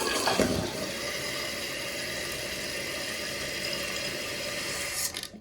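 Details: Toilet after fill valve replacement and water level adjustment, which fixed a hissing: steady rush of water from flush and refill that stops cleanly, with no hiss or whistle.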